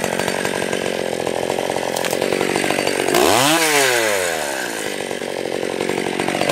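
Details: Stihl 020 AV chainsaw, after a new clutch, chain and nose-bearing bar, idle turned up once warm: crisp, steady high buzz bogging briefly under load and recovering cleanly through the cut; strong-running, felling a small tree in seconds.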